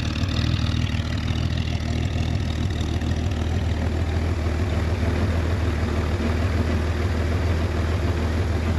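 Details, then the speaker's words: 1966 Chevrolet Corvair Monza convertible, air-cooled flat-six, started in neutral with parking brake on and no throttle, well tuned and starts perfectly: steady, even low purr with a regular beat, no knocks or misses, normal idle. "ce qui prouve que elle est bien réglé qu'elle démarre impeccablement ouais ça ronronne bien"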